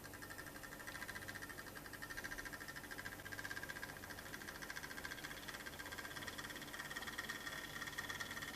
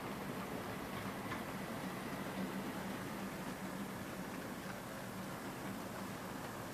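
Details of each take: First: Brand-new EFE/Kernow Southern Railway CC1/Booster (Class 70) model locomotive running in one direction: faint quick steady ticking over soft motor hum, lumpy and creaky, like clockwork; smooth the other way, clicking from the drive. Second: EFE/Kernow Southern Railway CC1 Booster model locomotive at 50% speed hauling a train: steady, even hum with faint track clicks, no whine or catch, drawing 200 milliamps under good load; runs normally after the noise in one direction settled.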